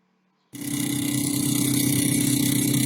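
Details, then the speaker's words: Newly bought refrigerator, installed about a week, makes noise again despite unchanged settings; a fan starts with a loud steady hum and rough pulsing flutter about four times a second; noisy freezer fan, possibly a cracked or broken part, cause unconfirmed. "Ini kak, kulkasnya bunyi lagi. Padahal pengaturannya masih kemarin"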